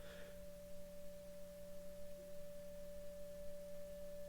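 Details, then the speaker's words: 1935 Philco 54C speaker field coil being powered up from 2 mA toward 40 mA; the clean steady test tone with faint lower hum swells as the magnetic field strengthens, so the field coil works. "so if it's working the volume will go up because the magnetic field will be getting stronger so you help me listen for it also"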